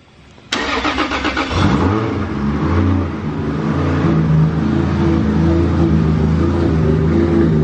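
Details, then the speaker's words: Brand-new 3.4L 2JZ just after first start, with clean injectors: a quick blip, a few uneven seconds, then a steady, smooth idle with no knocks, much less choppy than before. "does sound different [Music] before is that it really choppy now it sounds more like a one day"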